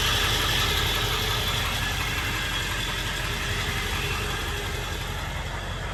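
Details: 1999 Ford F-350 Lariat Super Duty 4x4 with the 7.3 L Power Stroke diesel and 46,385 original miles: an even idle with a steady light clatter at about four beats a second and no odd knocks. Normal healthy diesel idle.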